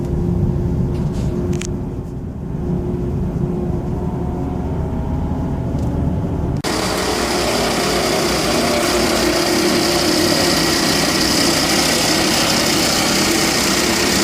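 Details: 2012 Volvo XC60 2.4 D5 AWD diesel idling: dry, constant rattle under the hood, louder up close; traced to the alternator, specifically a worn pulley bearing.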